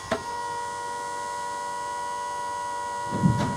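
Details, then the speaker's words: Old 12 V bilge pump motor, still in its housing, bench-tested at about 12 V drawing a little over half an amp (about 7 W): steady clean whine, no grinding or rattle, a couple of handling bumps; runs fine. "I'll be able to get a a little over half an amp. That makes it like maybe 7 watts. Sounds good. Like it's still working and"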